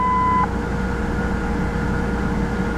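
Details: 2001 Ford Explorer, restarted after cleaning the idle air control valve: a steady raised idle, previously staying above 1100 rpm, that has not come down yet. The cause is suspected, not confirmed.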